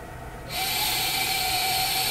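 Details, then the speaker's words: SMOK TFV12 Cloud Beast King tank with dual-core shotgun coil at 101 watts, airflow cut down to a small square: steady high hiss with a thin whistling buzz through the whole draw, cutting off sharply; airflow whistle at the tank inlet. "now you might be hearing the airflow kind of like buzzing a little bit it's kind of making a bit of a strange noise"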